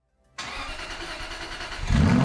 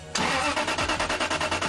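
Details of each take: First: Aston Martin V8 Vantage with a new starter motor: quick, even cranking that turns the engine faster than the old heat-worn starter, still about 15 compressions, then it catches and settles to a firm idle. The delayed start was caused by the starter, not the fuel system. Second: Aston Martin V8 Vantage crank: sluggish laboured whirring at about seven pulses a second from a worn old starter motor heat-damaged, needing about 15 compressions to start; fuel system not the cause, new starter cranks faster.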